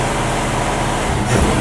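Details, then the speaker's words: 1967 Mustang classic being tuned for a dead miss. It starts right up and idles steadily, but throttle blips come up muddy and uneven, a stumble on acceleration that is suspected to be a carburetor accelerator pump issue. "it starts right up and it runs still got that stumble on acceleration but i think that may be a carburetor problem you hear that that kind of thing right there is typically an accelerator pump issue"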